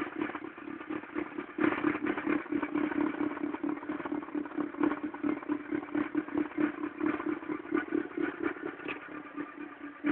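Steady low drone at idle with an uneven clatter about twice a second; the cold engine sounds wrong, cause unclear.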